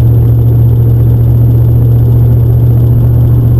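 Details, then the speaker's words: Toyota Hilux with a V8 swapped in place of the 3L, driven on the road: a deep, steady V8 rumble with no knocks or misfires, running healthy. The kick-down cable may need adjusting. "and that noise you gotta love the sound of a good v8 you know oh this is so good i've got my truck back"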